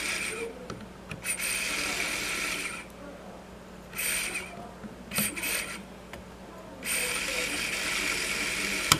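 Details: Webcor EP 2104 tape recorder rewind with switch held down for good contact: light whirring rasp in bursts as reels spin up and stop, no grinding or stalling; rewind works, switch contact otherwise poor.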